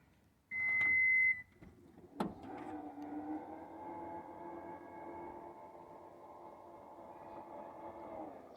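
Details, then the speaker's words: Toyota Highlander power liftgate after cleaning and silicon-spray lubrication of the previously squeaky mechanism: one long warning beep, a latch click, then a smooth, steady motor hum as it opens, squeak gone. "Alright, no more noises. Try again. No more greasy noise. Okay, problem fixed."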